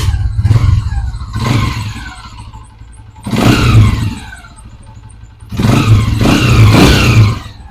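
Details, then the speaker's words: Motorcycle after a new pushrod fitted and tappets set to 0.08 gauge, cured of tappet noise: three rev bursts pulling up and dropping back cleanly with a firm exhaust note and no tappet clatter; runs normally. "तो आपने देखा माशाल्लाह आवाज़ जो है ज़बरदस्त होगी बाइक की। सिर्फ पुश रॉड का मसला,"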